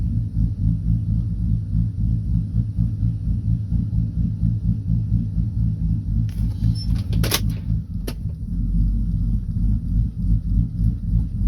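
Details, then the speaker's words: 2012 Silverado V8 with a bigger cam and a Circle D converter, AC off, idle set at 770 rpm after trying 700 to 780. A deep, lumpy loping idle around four pulses a second: sounds good, normal cammed idle. "actually sounds good where she's at so we'll probably leave it at the 770 that i got set at right now"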